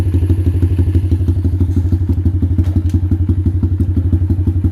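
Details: X-PRO dirt bike after fixing ignition coil/spark plug cap ground fault: steady single-cylinder thumping about three beats a second, even with no stumbling; runs properly with spark restored, before carburetor overflow problem appears.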